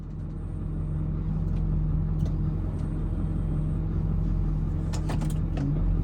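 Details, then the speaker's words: Truck with hydroboost brake booster at idle; steady low whine when braking, same as when steering, gone in neutral; owner suspects power steering fluid or pump. "Now the same sound occurs if I get on the brake too."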